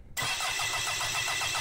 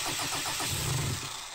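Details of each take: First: Mitsubishi Delica 4M40 2.8L diesel, a scrapyard engine started outside the vehicle for the first time after wiring, glow plugs, priming and air purging: cranks evenly about three seconds, then fires and settles into a steady run; normal start. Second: Mitsubishi 4M40 2.8 L diesel from a scrapped Delica, run outside the vehicle for the first time with only injector four cracked: uneven cranking, then it catches and stumbles roughly, with air still in the fuel system.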